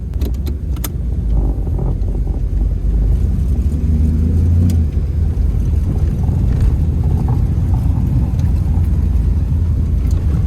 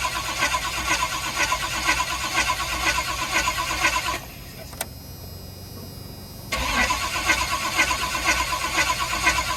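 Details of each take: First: 1984 Pontiac Firebird 350 V8 with block hugger headers and dual exhaust, driving after a cold start: deep, steady rumble with even pulses under light throttle, no knocks or misses. The engine sounds healthy. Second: 1984 Pontiac Firebird cold start in snow, mechanical fuel pump priming through 20 ft of fuel hose: the starter churns steadily about four seconds, pauses, then cranks again without catching. Extended cranking before start.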